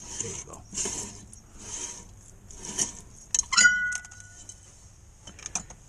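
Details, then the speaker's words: Pontiac Sunfire rear drum after adjusting the shoes, drum turned by hand: a soft scraping swish about once a second, the light drag that is wanted. "Hear the brakes just dragging on there slightly. That's what you want. A little bit of a drag."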